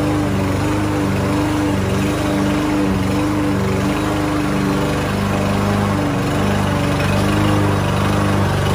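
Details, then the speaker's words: Lawn Boy lawn mower unused for almost a year, after starting fluid and carburetor cleaner: steady, even drone holding pitch while cutting grass, no surging or stumbling; running healthy under load. "y esta mire ya está jalando la máquina muy bien y está cortando el zacate"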